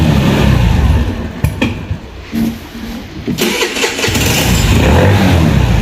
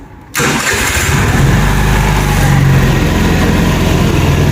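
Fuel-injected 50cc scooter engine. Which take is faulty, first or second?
first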